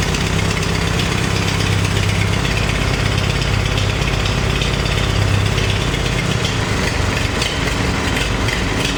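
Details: Farmall 350 diesel tractor, freshly reassembled, block warm but temperature gauge low (owner unsure if thermostat missing or bad): low idle with uneven, lumpy, skipping pulse, as if one cylinder not pulling.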